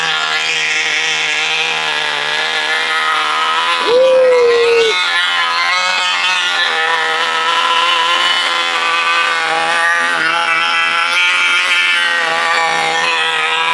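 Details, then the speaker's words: 1980 Cox Babe Bee model-plane glow engine, first run in 46 years: a high, buzzy drone at an even pitch with no misses or surging; clean, steady running. "Bakın burada ne güzel bir çalışma oluyor. Harika. Bakın. Mükemmel."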